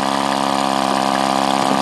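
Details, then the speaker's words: Powerwise ink pump air motor after rebuild, running on air pressure with end cap tightened for compression: steady even hum with quick regular air pulse, no knocks or rattles; motor runs normally. "know it's running okay we've got a good working motor"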